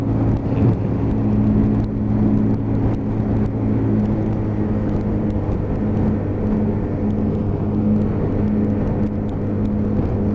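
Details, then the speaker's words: Lexmoto Titan at about 4,175 miles, test ride after fuel-system repair for cutting out and hesitation: steady even-pitch drone at cruise, picks up cleanly on throttle with no hiccups or surging; running normally. "it's running along absolutely perfect it's not hiccuping or doing anything it's got give it a handful of throttle there's loads of power there you can hear that engine just pick up"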